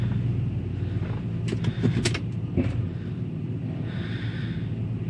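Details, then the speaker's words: 100 Series Land Cruiser after hub axle flange replacement, front-end clunk on gear change: short burst of sharp knocks over a low engine rumble; owner suspects play in the front drive shaft or drivetrain, hub still has play, not fixed. "it's definitely sounds like the clunk is coming from the front drive shaft but I think it's just play in the drivetrain that that's just the swap where it makes the noise"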